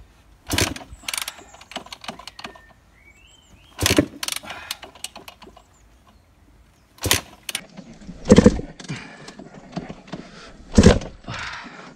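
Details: Yamaha YZ250 dirt bike kick-started with fuel on, choke on and a bit of throttle, after a very oily, black, fouled spark plug was removed. Repeated kicks a few seconds apart each give a short ratcheting crank with no firing; the owner suspects it may have been flooded.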